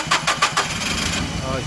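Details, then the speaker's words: Nissan MCP with rough running, suspected single-cylinder misfire: starter cranks evenly at about six or seven pulses a second with no weak beat, suggesting roughly equal compression, so mechanical cause ruled out before power balance test. "run in the gas do that again so i didn't hear any definitive unevenness in that cranking so i'm gonna go away from checking the mechanical on this one"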